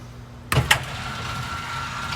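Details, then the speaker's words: 2022 Zinger 328SB travel trailer stabilizer jacks extending while the switch is held: a couple of clunks as they engage, then a steady low electric motor hum; one jack dropping before the other is normal. "so for these you just hold extend they're going to drop"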